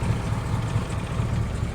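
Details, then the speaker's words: Classic V8 with Cobra Jet engine, after start-improvement mods, fires on one pump and a short crank, then settles into a deep, even idle with no knocks or misses. "short crank one start that's exactly what you want"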